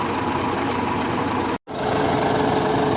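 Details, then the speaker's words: MAN truck diesel warm at idle: faint high squeak over clatter that rises when the air dryer unload closes and was absent cold; suspected worn fan drive bearing. "вот сейчас слышный как он на этот крипет сильнее сейчас опять разгрузка сработает скрипы идет я думаю все таки это привод вентилятора"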